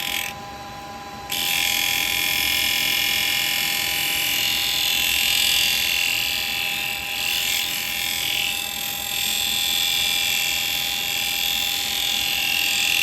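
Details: Woodturning with a carbide tool at the normal 2,500 rpm after gluing a crack in the yew piece: steady high hiss of a clean cut over even motor hum, no rhythmic ticking; smooth, healthy cut with bevel support.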